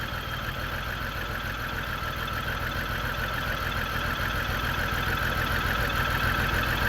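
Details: 2002 BMW X5 3.0L AWD idling with multiple misfire after new battery and spark plugs; slightly uneven pulse about three beats a second with faint stumble; fuel pressure 44 PSI, owner suspects fuel pump, also intake runner motor popping: rough idle with misfire.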